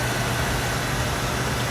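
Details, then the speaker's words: Oil furnace restarted after running out of oil, line bled and reset pressed: burner fires into a steady, even low roar with a constant hum, no sputter; may need further bleeding if it stops. "Hopefully it stays going. If not, then I will have to probably bleed this one or two more times. But I think we got it."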